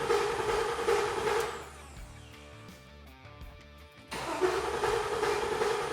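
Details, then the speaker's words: LQ4 6.0L V8 with 4L80E swapped into an International Scout Traveler, first crank after fluid fill with injectors and ignition disabled to build oil pressure. Steady high whirring grind, short break, no firing. Abnormal cranking noise; owner hopes it's just the starter. "Really don't like that noise. I hope that's just the starter."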